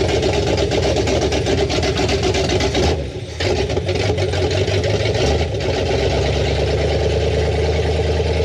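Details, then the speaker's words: 1973 Ford F250 2WD farm truck with newly installed 360 FE V8 and Hooker headers, fed from a bucket, exhaust not finished: deep, even V8 rumble with steady idle and a slight dip midway; runs fine. "noise we got it idling and uh there's a couple things we got to clean up but uh yeah it runs"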